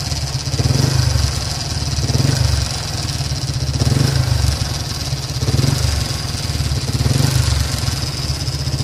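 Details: Yamaha LC135 5-speed motorcycle: rough idle with a slow surging beat and a steady hiss-like metallic whirr, described as a loose-metal engine noise; owner says the clutch was recently replaced; worn, rusty water pump bearing.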